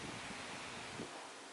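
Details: Ventisol mini desk fan after repair of a loose blue mains conductor: only a soft, even airflow whoosh with no rattle, scrape or hum; the fan motor now runs quietly.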